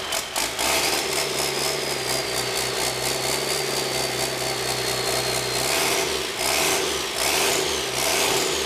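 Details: 1997 Cummins 5.9 12-valve P7100 pump, 960,000 km, cold start after cracking injector lines, half throttle: long even cranking for several seconds, then catches into a rough rattling diesel run. Hard starting.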